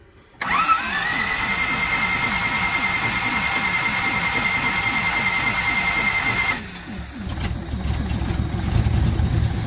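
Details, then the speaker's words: 1969 Ford C700 330ci V8, cold start after topping up about two gallons of coolant: six seconds of even cranking with starter whine, then it catches on primer into a steady smooth idle; accelerator pump leaking; normal start. "it goes and that's how smooth this thing runs it's always run like this"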